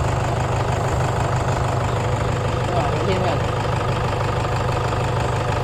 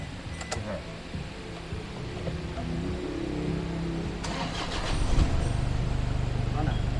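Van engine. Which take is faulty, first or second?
first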